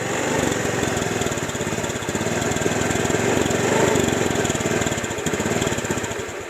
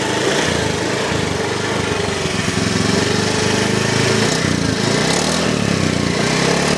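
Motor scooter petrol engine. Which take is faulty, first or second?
first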